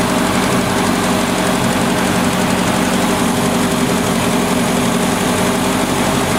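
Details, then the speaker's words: 1970 Opel GT barn find, first start in about 30 years, after a carb swap, new points and Bosch platinum plugs: rough lumpy idle with an occasional dropped stroke, slight miss. Choke is fully open; owner suspects the carb and choke are not adjusted right. "it's still missing a little bit but it has the entire choke open over here it's been sitting a little while probably needs to be i feel like it's a little rough"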